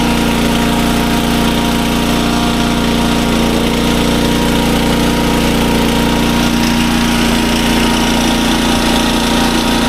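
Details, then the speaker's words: SDMO 5000W generator, 296 cc, running after refuel: steady even drone, no surging or misfire; output voltage about 140, slightly high, and it handled a roughly 1000 W heater load test fine. "Now, as you can hear, the generator runs super well. It's putting out good voltage."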